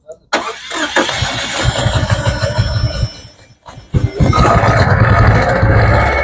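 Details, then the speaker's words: Engine with a misfire during diagnosis: cranks, catches, stumbles and nearly dies, then a lumpy, uneven idle that barely runs; very little vacuum measured at the purge solenoid line. "like this is not this engine's barely running which makes sense because it feels like it's barely running"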